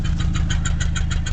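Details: 1989 Mazda B2200 4-cylinder 5-speed manual pickup that smokes a lot, idling while still a little cold: a loud, low tractor-like idle with sharp puffs about seven a second from exhaust escaping through a hole in the pipe.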